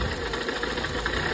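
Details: Nissan Sentra ECCS, earlier crank-no-start, now running after fuel line pressure was relieved: uneven idle, stumbling beats over low rumble; dead cylinder from an oil-soaked spark plug.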